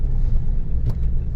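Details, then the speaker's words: Mahindra Bolero Power Plus on test drive after repair: low even road rumble, no clunk, knock or vibration; body that previously rattled at 40 km/h now quiet, driveline normal. "तो यह देखो complete है गाड़ी बिल्कुल कोई आवाज नहीं बिल्कुल वाइब्रेट नहीं एक नंबर"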